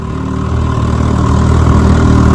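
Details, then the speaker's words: Restored 1957 Johnson Sea Horse 10 hp QD18 outboard, rebuilt carburetor and magneto, on lake test: steady, even low burble with no misses, knocks or rattles; normal idle. "She pushes my Missy boat about 18 miles an hour. It's a 10 horsepower, not an 18 horsepower. That's pretty darn good. And I mean, she runs great. I've been running her about 10 minutes now."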